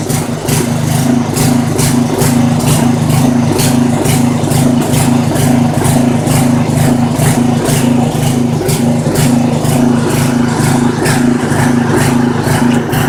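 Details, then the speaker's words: Poulan 900 rototiller, small single-cylinder engine, little used, sooty muffler, rich carburetor and oil in it suspected: runs unevenly at a fast steady pace with a lumpy, stumbling beat; hopes oil burns off, else new carburetor. "I'm gonna let that thing run for a while and then hopefully it'll work itself out of there if not I'm gonna have to tell my buddy might need to get a new carburetor but I think that oil will burn itself out of there"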